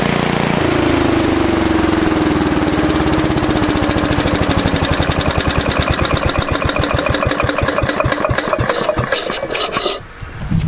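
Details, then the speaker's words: 1970s Briggs & Stratton generator engine built for Princess Auto: catches after a few cranks, settles into a steady, even firing beat, then is shut off; runs fine, though it is dripping fuel. "Well, there we go. We got that to run. Seems like she runs pretty good."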